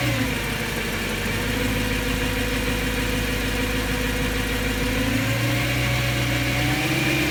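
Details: BMW M3 S65 V8 at idle after bearing replacement: a light, fast tick about three per second over the idle. Owner says it still sounds abnormal; cause unknown.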